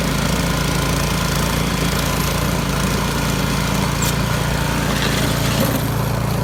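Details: Yard Machines 22-inch snow blower after carburetor cleaning (gas left in it at least two years), choke off at full throttle on test run: constant buzzy drone holding pitch without surging or hunting; normal running.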